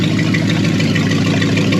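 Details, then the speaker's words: Free Mopar 273 small-block V8, pulled for a big block, first run on an engine run stand: smooth, even deep idle, hitting on all eight with no misses or knocks; normal idle. "we've got a runner and she sounds like she's hitting on eight"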